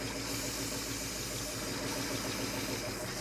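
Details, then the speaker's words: Roadkill rescued Ford Ranger V8, carbureted, just started after priming with the accelerator pump: even, steady idle with a smooth low rumble and hiss on top, no misses or knocks; compression test to follow. "I'm going to say it's good. Yeah, I think it's all right."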